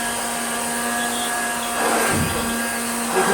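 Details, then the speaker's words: Hoover Junior 1354a upright vacuum: a steady motor hum with a dip and a rattly flutter instead of a firm brush beat. The sloppy brush roll belt had ridden up on its pulley and was slipping. "can just hear it. It's stopped. Or it makes a weird rattly sound."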